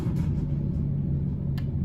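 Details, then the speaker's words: Onboard generator of a 40 ft Freightliner ADA mobile clinic, started by holding the primer 10–15 seconds and then the start button: a steady, even low hum with no knocks or misses; running normally. "Now, the first thing you would do is power on the generator located here."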